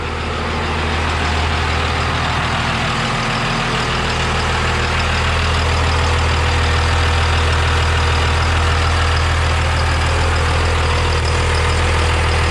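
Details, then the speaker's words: 12-valve Cummins triple-turbo race truck, first start after a Northeast 13mm P7100 pump install and the cam gear fix (cam drilled, tapped for a stud); deep, even diesel idle with no knocks or misses, normal running. "She fired up. I gotta add a little water to it. She sounds good. Nothing sounds bad, so I'm pretty happy."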